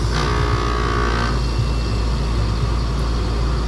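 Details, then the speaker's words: 20-year-old R22 12 SEER Trane heat pump on a home-warranty call: a short whoosh as the reversing valve shifts, then a steady compressor hum. Normal reversing valve shift, heard for comparison with the faulty system. "it's supposed to sound like when it shifts that ain't what i was hearing on the other one"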